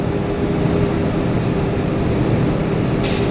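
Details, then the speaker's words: CDL Class B truck pre-trip in-cab inspection at fast idle building air pressure: steady engine drone, then a sharp hiss of released air; normal air governor cut-out. "just wait till you hear that sneeze that when you hear that sneeze that means your government is cut out"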